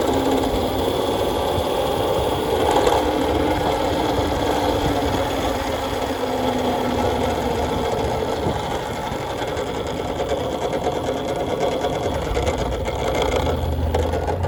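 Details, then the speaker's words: Nathan's custom Voloci electric bike, first ride in about 20 years, riding: loud, uneven mechanical clatter about two knocks a second; hub motor cogging badly, not the chain. "Yeah, I was hoping this motor was going to quiet down by driving it a little more, but this motor just makes so much noise when it cogs."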